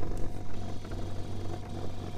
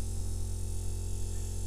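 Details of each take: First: DIY kayak trolling motor build on battery box, running about 4 to 4.5 mph on calm water: steady low drone with a buzzy shake riding on it, cause unstated. Motor vibration. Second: DIY electric trolling motor on a kayak running at low speed setting: steady low electric hum with no knocks or grinding, running normally.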